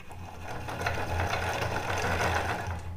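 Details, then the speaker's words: 12V DC brushless cooling fan: a buzzing rattle pulses three or four times a second over a low hum as the motor shakes but won't spin, due to a broken internal part. "आप देखें। आपको यह मिल रहा है। यह कितना हिलता है। कोई नहीं है वहां एक समस्या थी।"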